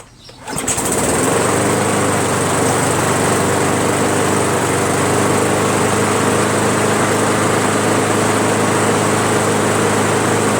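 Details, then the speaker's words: Briggs & Stratton Pulsa Jet Prime carburetor mower before diaphragm and gasket replacement: starts, runs loud, rough and very rich, uneven about four pulses a second; owner suspects worn diaphragm and gasket. "this is just my theory that the diaphragm in the gasket are worn so that it doesn't run right you know it's running very rich"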